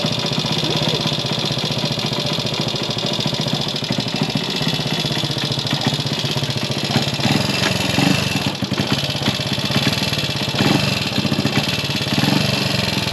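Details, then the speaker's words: Gilera 124 on its first proper road run after rebuild: rough, uneven running with pops. Believed to be carburation only; carb jetting, spark plug and points timing still to check. "how was that uh Popp on it's not running right okay but work in progress yeah it's only carburation"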